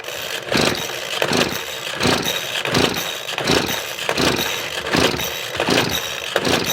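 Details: Craftsman leaf blower that stopped running, possibly after the wrong fuel was used, with its air filter missing: spark and compression are present, but repeated pull-cord strokes about every 0.7 s whir the engine over and it never fires. Cause not confirmed.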